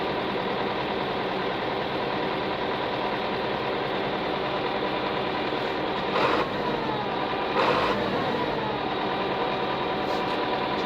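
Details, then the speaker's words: Tractor diesel with a rotary fuel pump, after bleeding air from dirty fuel lines: it surged at first, and now idles steadily with an even clatter as the air purges and it smooths out. "I'm going to let it eventually purge itself. Just smoothing out here now."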